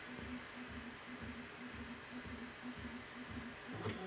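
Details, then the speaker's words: Bambu Lab A1 Mini Combo 3D printer before first test print: quiet, even motor bursts about twice a second with soft thumps as the head wipes and probes the bed; normal pre-print routine. "Cleans the head. Test the bed. Cleans the head."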